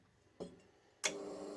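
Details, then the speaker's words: Electric furnace being switched on to heat for brass casting; its coils have loosened since new. A sharp click, then a second, then a steady electrical hum as the relay pulls in and the coils heat normally. "time to make the gods of electricity angry will hear it clicking and go buds in a minute"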